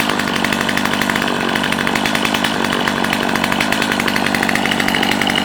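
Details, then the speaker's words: Stihl MS250C chainsaw, 16-inch bar, in good shape, with Easy Start and primer, started by pulling up on the rope: fires on a quick pull and holds a bright, even two-stroke buzz with no stumbling or rattles; running healthy. "A nice little saw. Again, it has the easy start. You do not start it like you do a conventional saw."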